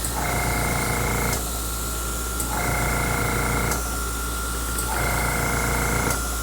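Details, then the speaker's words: Airbrush spraying craft paint: bursts of spray about a second long with crackly, uneven hiss, spitting and sputtering because the craft paint clogs the airbrush quickly; needs cleaning out. "And you can hear it spitting and sputtering if it's not cleaned out good enough."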